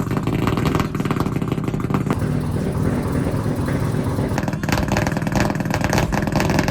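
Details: Mazda RX-7 drift car, 13B two-rotor peripheral-port engine, after installing new FT Spark ignition to fix weak spark: steady busy rotary burble with slightly choppy exhaust pulse, no misfire gaps; running cleanly after the fix.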